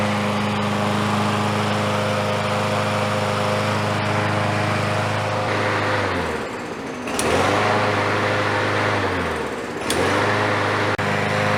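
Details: Free, smoky Troy-Bilt single-cylinder mower, restarted with the door open: drones steadily, dips twice in speed and recovers at once; runs evenly with no misses, healthy.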